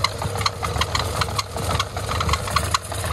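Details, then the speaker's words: Car/bike washing water pump driven by an electric motor via fan belt, motor very hot, wiring reconnected: uneven heavy knocks and jerks over the motor drone. Bearing suspected gone in the pump; motor alone runs quiet with the belt off. "आवाज आ रही है, देखो आवाज आ रही है, इसमें bearing वगैरह चला गया है,"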